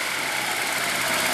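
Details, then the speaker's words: Jensen Healey with prototype fuel injection, still on the default untuned map: even, steady idle with a smooth hiss, no knocks, misses or surging, and no long cranking at startup. Engine running cleanly. "it's idling nicely now one of the things to keep in mind is this car has not been tuned yet so this is just the default tune package"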